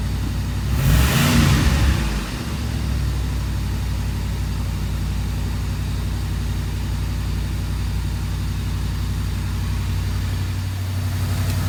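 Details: 1982 Mercedes 380SL: after a brief rev the engine settles to a steady fast idle around 1500 rpm and never drops; high idle from a faulty idle speed control module.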